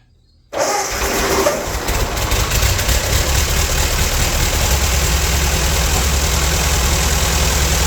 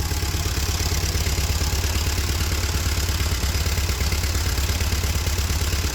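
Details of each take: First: Old Ford tractor rained on for years, started on a makeshift fuel feed, likely running on old fuel still in the line and carb: catches at once and settles into a smooth, even low idle, no smoke; a good runner. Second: Free old Ford tractor left out in the rain for years, first run after sitting: low, thumping, uneven idle; owner suspects carb needs tuning, water dripping from exhaust, no oil pressure on two gauges; rough running.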